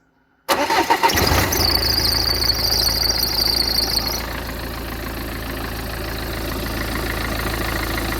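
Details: Peugeot 406 2.0 HDI diesel, previously a no-start electrical problem: starter catches quickly, brief rev, then steady even idle with no knocks or misses; sounds healthy.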